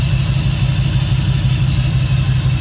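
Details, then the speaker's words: LS V8-swapped 1959 Chevy Apache, first start with full engine management installed: steady, even idle with no misses or knocks, aside from occasional backfiring blamed on cheap fuel injectors. "It doesn't matter. It starts as it should. Nice and quiet."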